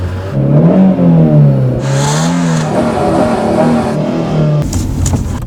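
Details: Lancia Y in cold, frosty weather, long drawn-out cranking with the starter drone wavering for seconds while the pedal is pumped; engine never catches, hard cold start with extended cranking and no start.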